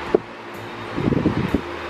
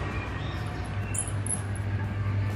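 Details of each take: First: Maspion wall fan that made a squeaking "mouse" noise, fully reassembled after replacing the damaged shaft bushing and fine-sanding the shaft: soft, even motor hum with some rustling and no squeak or chirp. Normal running after repair. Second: Maspion wall fan, dirty and rarely cleaned, still spins but emits a mouse-like squeak: steady motor hum with faint high chirping squeak from a dry, worn motor bushing; fix is cleaning, oiling, replacing the bushing and fine-sanding the shaft.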